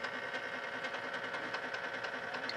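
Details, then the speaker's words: Whirlpool direct-drive washer from about 1995, suspected broken motor coupler, filling for a rinse cycle: steady buzzing whir with faint regular ticking; noisy timer motor. "okay the timer motor is noisy on this also"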